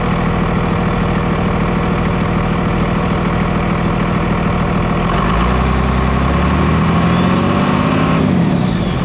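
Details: 5.9 Cummins diesel with stock turbo, silencer ring still fitted (before removal): heavy diesel clatter settles into a steady, even idle after the start, with a faint turbo whistle above it, running normally.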